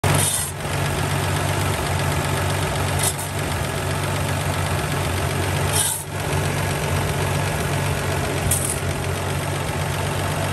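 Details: 1982 Toyota Land Cruiser FJ40 rough petrol six idling with fast light top-end ticking: valve tap, also has a vacuum leak.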